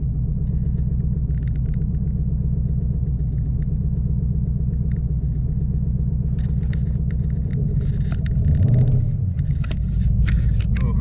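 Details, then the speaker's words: 2014 Mustang GT after Boss 302 intake manifold install, SCT tune loaded: deep, uneven loping idle pulsing about four times a second with short rev rise, feels lopey; tune suspected, not confirmed; rough lopey idle. "so you guys i don't know if you can hear that early you won't be able to feel it but it feels really lopey revving up"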